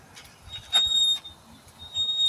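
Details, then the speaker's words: 1996 Yamaha Virago 1100 being rolled slowly after sitting: thin, high steady squeal coming and going from the brake, likely dragging after sitting; not confirmed. "You can tell it's been sitting a little while. You can hear the brake."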